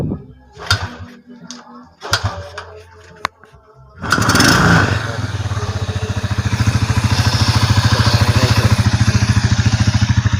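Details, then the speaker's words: Rossi TC125 after an overhaul that dealt with a chipped transmission gear, engine refitted to the frame: fires up and settles into an even, steady beat with no knocking or gear whine. The engine noise is gone and it runs quietly. "Ito ang kanyang makina, tahimik na, wala nang ingay mga guys."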